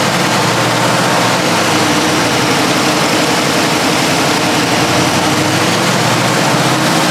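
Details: 1968 Chevrolet Camaro convertible, 350 small block with aluminum heads, 700R4 automatic: deep, steady V8 idle through a loud exhaust, even and unbroken with no misses or knocks; sounds healthy.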